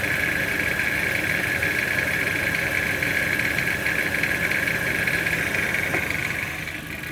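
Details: Toyota C-HR 1.2 turbo petrol engine idling with a steady metallic rattle over a bright, buzzy upper tone.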